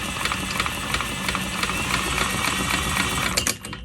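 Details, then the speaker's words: Villiers engine, barn find, head found not fully snug, timing checked by strobe, spun over: sharp regular knocks, about four a second; lots of knock heard, piston slap suspected but unconfirmed. "There's a lot of knock in there, isn't there?"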